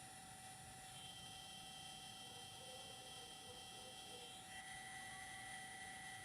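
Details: DJI Zenmuse H3-3D gimbal: thin steady high whine with several fixed tones, one stepping up partway through, over faint hiss; abnormal gimbal motor sound, cause unknown.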